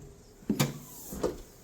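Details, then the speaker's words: 1996-2004 Nissan R50 Pathfinder rear hatch after trunk latch replacement; old latch rattled while driving and showed ajar intermittently: two firm, clean clunks on closing, no rattle or bounce. Latch now catches solidly. "Sounds really solid. Yeah, definitely. Definitely close. Yeah, that sounds a lot more solid now."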